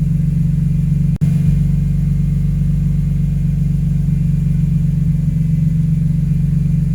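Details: Engine at idle after VANOS rebuild, code P0012 and AC stopped blowing: steady idle with a low, uneven drumming pulse under the rumble; abnormal noise since the work.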